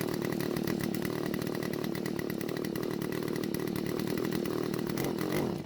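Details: Garage-sale Stihl two-stroke trimmer, primer bulb finally filled: raspy steady idle that fades and dies when throttled; owner suspects lean carburetor, possibly a clogged spark arrestor screen.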